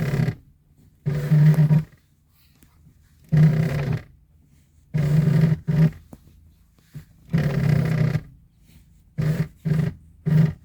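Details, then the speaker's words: 1994 Chevrolet S10: loud groaning squeak in bursts with each clutch pedal press, worse once the truck warms up after some minutes of driving, gears still engage fine; pedal mechanism already lubricated. "Entonces, como podemos ver, el pedal hace ruidos bastante fuertes."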